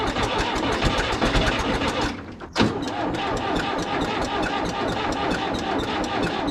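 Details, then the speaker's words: John Deere 450 bulldozer cold start: laboured, evenly spaced cranking pulses with pauses between attempts. It turns over sluggishly and never catches; a dead battery is suspected. "Sounds like the battery's dead. Shocking."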